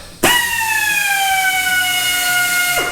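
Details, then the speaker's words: Central Pneumatic 90-degree air drill on a 30-gallon compressor set to 105 psi: high whine starts strong, then sags in pitch over about three seconds as speed drops, likely from falling air supply. "it starts off pretty strong and then it it kind of drops off"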